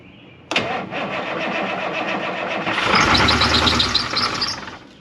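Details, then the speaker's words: 1981 International Harvester diesel snow plow truck, long sitting, first start: short crank, catches, then revs surge and hang high as the throttle pedal sticks to the floor. "okay the throttle stuck I pushed the throttle down to get it going and the throttle stuck right to the floor"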